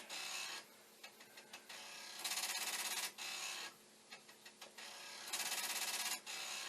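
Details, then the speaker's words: Commodore 1541 disk drive for the C64, trying to load after the speed adjustment was tweaked with no improvement: bursts of fast rattling ticks, about three a second, as the head bangs its stop; the owner suspects a fault underneath the drive. "i did just for a moment there tweaked the speed and if the drive wasn't doing its head banging you might have been able to hear it"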